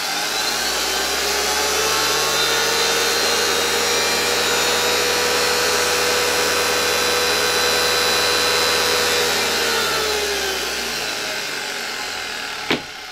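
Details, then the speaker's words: 1987 Zelmer type 200.8 vacuum cleaner's type 300 motor run after one brush replaced, new brush not yet bedded in: smooth steady high whir at even pitch, winding down cleanly at switch-off, no sparking seen; normal motor run. "także jak widzicie ten odkurzacz z tym silnikiem po zmontowaniu ma szansę całkiem fajnie działać"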